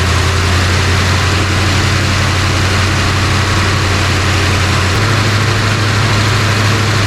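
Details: 1966 Ford Country Sedan FE big-block with new big solid-lifter cam, just started and timed, during cam break-in with smoke from one side: loud, even idle whose drone steps up slightly partway; engine running steadily.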